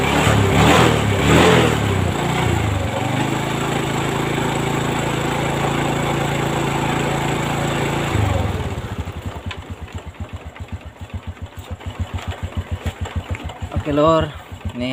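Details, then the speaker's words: Honda Revo Fit motorcycle after cam chain replacement and repair of the engine block damaged by a slack cam chain: raised busy note dropping to an even putter with no rattle; smooth normal idle. "halus lagi ya [Musik] sip jadi kayak gitu cara penggantian rantai klep ya untuk motor"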